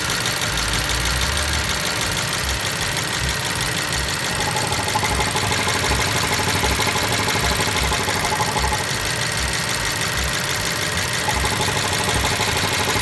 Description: Motorgeräusch bei geöffneten Öldeckel BMW 750i